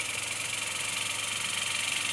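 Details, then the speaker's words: Washing machine spin motor bench-tested on mains, spinning clockwise and anticlockwise: loud, steady hissing rasp with fast even pulse; runs but far too noisy, likely why customer's motor was replaced. "दोस्तो motor तो चालू है लेकिन इस motor में आवाज बहुत आ रहा वजह से कस्टमर का रिप्लेस हुआ है"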